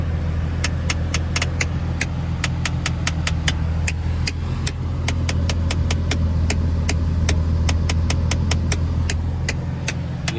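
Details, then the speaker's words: Nissan 350z (VQ35DE), engine idling with AC on recirculation: loud sharp clicking about three or four times a second from passenger-side cabin area, a failing blend door actuator; clicking stops when AC switched off or fresh air selected. "I know you guys hear that right that's pretty loud ass click noise every time you turn it off or every time you put in in air stops clicking"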